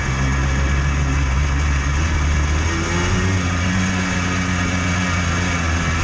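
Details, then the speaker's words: Yamaha Blaster 200 two-stroke quad riding: thin, tinny bell-like ringing over the buzz, worsening as it runs, with thickening smoke from failing seals; worn crankshaft bearings. "The bearings in this quad are pretty much done. There's no helping them. It just gets worse as the machine goes."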